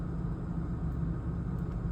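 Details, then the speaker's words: 1997 BMW 328i E36, new MAF sensor plugged in: steady, even low idle rumble with no stumble or hunting, idling better plugged in than unplugged; normal idle after MAF replacement. "seems to be idling a lot better with it plugged in as to unplugged."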